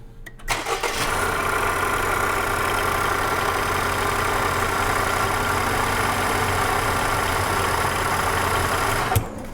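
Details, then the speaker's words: Engine with a bearing noise starting and idling: steady gritty growl under the running note. "we'll see if we can make a determination on which part of this engine is making that horrible. It sounds like a grinding noise from a bearing."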